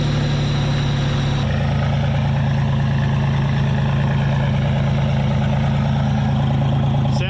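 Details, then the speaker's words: Supercharged Pontiac Fiero V6 after replacing one fuel injector: steady even idle, earlier bad misfire gone; one bank still sounds weaker, cause uncertain, possibly other injectors. "a lot better i don't hear that really bad misfire now out of this side it still is a lot weaker though this side is a lot weaker than this side"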